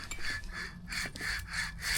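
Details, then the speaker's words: Chevrolet NBS truck front end, driver's side, during a MaxTrac 3/4 drop kit install: loose, worn wheel bearing spun by hand makes a terrible rough, gritty rasp in repeated surges; worn outer tie rod and ball joints also found. "Making a terrible noise there."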